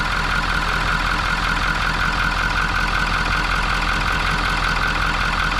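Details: 2019 Ford F350 6.7 Powerstroke, 88,000 miles, cold idle, running rough and blowing oil and smoke from exhaust: light fast chatter as the oil cap dances from excessive crankcase pressure caused by a clogged CCV filter; turbo damaged.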